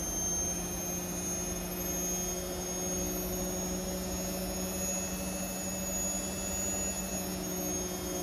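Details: Indesit Innex XWSC61252 washing machine, brought in for not draining, on spin test after repair: smooth, even spin with steady low hum and constant whir, no grinding, scraping or surging; spinning normally.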